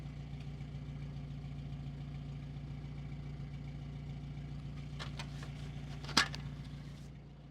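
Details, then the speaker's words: 1953 Sunbeam Alpine Mk 1 after nut-and-bolt restoration, cold start after sitting unfired for a while, aftermarket fuel-pump prime switch: steady, even low idle hum with no knocks or misses, one brief click. Normal cold idle, runs pretty smooth. "Okay, but actually it runs pretty s"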